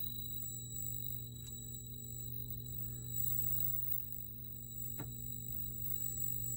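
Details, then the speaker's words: 4600 CRT monitor about 2 minutes after switch-on, warming up: thin steady high whistle over a low mains hum near the flyback, pitch changes when parts are pressed, stops after about 3 minutes; high-pitched whine, exact source unclear. "Yeah, it's starting to ring a little bit. I guess it sounds louder out here."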